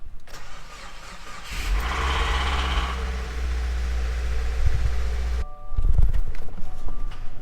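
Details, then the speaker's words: Subaru WRX under rebuild, started after work on the main fuse: cranking catches into an uneven, lumpy run, then stumbles and picks up again: rough, bad-sounding engine start. "That sounds terrible."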